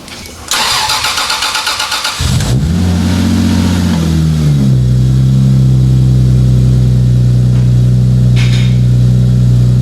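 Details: 2JZ-GTE twin-turbo swapped MKIII Supra, restarted for round two after reassembly, a five-dollar failed part fixed and turbo blankets added: starter grinds a couple of seconds, engine catches, flares briefly, settles into smooth steady idle; healthy start.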